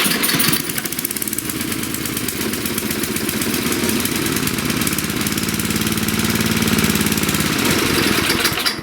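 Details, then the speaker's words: 1997 Murray Ultra 22-inch two-stage 5 HP snowblower, cold start: single-cylinder popping at a quick, slightly uneven beat, running lean because the choke came off too soon, otherwise runs well. "cold I took the choke off too soon but anyway it does run really well"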